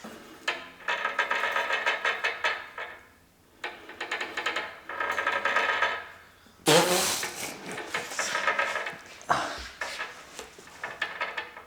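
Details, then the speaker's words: Old bearing wheel of an English wheel used to shape a panel for an Austin J40 pedal car: gritty rolling rasp swelling and fading with each pass, worn bearing noise. "Is that the bearings? That is the bearing. Do you reckon? That's exactly what a bearing sounds like."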